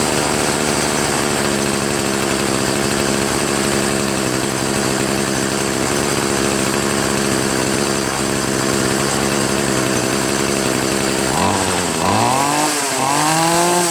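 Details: Troy-Bilt TB70SS 33cc two-stroke trimmer after adjusting the hi/lo carburetor mixture screws: holds a high, steady buzz without surging or stumbling, then blips cleanly; mixture properly set and running healthy.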